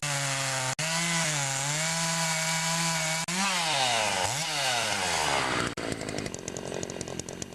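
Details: Makita DCS 400 (Dolmar-made) chainsaw after carburetor adjustment and cleanup, cutting wood: high buzzing revs sag under load then climb cleanly with no stumbling; runs well.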